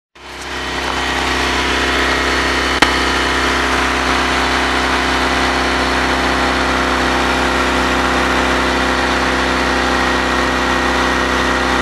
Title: Honda Exhaust Leak